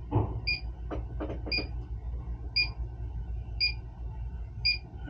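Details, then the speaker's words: Freezer at 59 degrees starving for refrigerant; after adding charge, leak detector sounds five sharp high beeps about one per second over low room rumble, picking up a leak behind, later found at a chafed liquid line. "Getting a hit right here, right there. I wonder if it chafed through on the metal or something."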